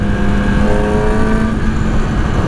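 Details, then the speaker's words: 2009 Yamaha R6 with 34,000 miles, rebuilt after a wreck, on its first test ride: a loud, crisp exhaust pulls cleanly through the revs with no misfire or rattle. The exhaust is loud but sounds good, and the bike runs well. "that exhaust sounds really nice. It's loud, but it sounds good."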